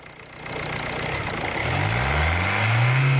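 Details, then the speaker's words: Ford Mondeo Mk4 1.8 diesel in limp mode, fault code P2263 boost performance, revved: low rising drone with no turbo whistle coming in; turbo actuator arm found not moving. "That is not moving. So let me take that cover, I'll take that actuator arm off and see what's going on."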